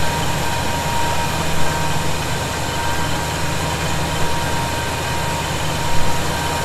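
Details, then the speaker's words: 1971 Chevy C10 after a cold start, with loose fasteners snugged for a suspected vacuum leak: steady, even low rumble with no whistle or hunting. Idles cleanly with no leak heard. "i'm not hearing it right now that may have been the answer you know i still didn't crank those down really hard they're good i just kind of you know snugged them up a little more"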